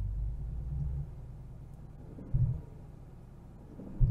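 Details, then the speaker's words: Genesis G70 at low rpm with deep heavy thuds knocking through the idle; first misdiagnosed as transmission, which was replaced without fixing it; actually a worn crankshaft bearing. "it's just a low RPM there there's a there's a slight knock there"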